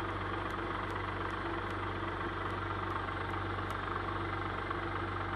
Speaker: that makes a little chatter noise if you can hear it